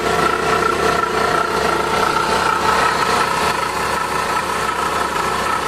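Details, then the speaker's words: Suzuki DA64V K6A non-turbo at idle: loud constant high whine and rough growl from worn water pump; also losing coolant, dirty radiator, overheating. "Saba kayo mga idol sa andar mga idoling mga idol sa mga idol galingan kay man water pump mga idol magist water pump"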